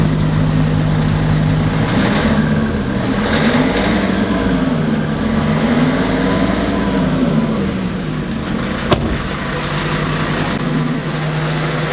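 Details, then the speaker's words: Renault Trafic/Vivaro/Primastar F9Q 1.9 dCi on lift, engine running in sixth gear: steady hum with wavering rising-falling tone under the engine; front right driveshaft bearing suspected, not gearbox. "what I'm going to do is I'm going to run the engine I'm going to uh put the vehicle in sixth gear so it spins faster and then I'm going to let you hear the noise that it makes"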